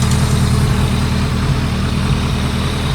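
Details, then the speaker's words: 2001 ZRX1200R four-cylinder with CVK carbs during carb sync/tuning at idle: irregular soft pops breaking the beat; owner plans to adjust the slow (pilot) screws to dial it out. Popping at idle, cause not confirmed. "A little popping on the cylinder, I don't like that either. We'll have to adjust the slow screws and see if we can dial that out."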